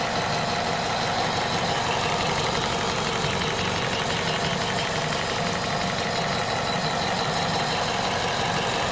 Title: Bruit moteur chaud VTI 120 à 98500km